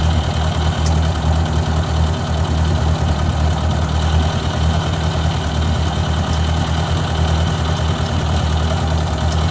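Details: Owner's 1956 Ford 640 tractor, restarted after years unused and after a pinched oil-pressure line was fixed: even, steady low idle chug at constant pitch, no knocking or missing; runs well but still rich and a little smoky, carburetor needs adjusting.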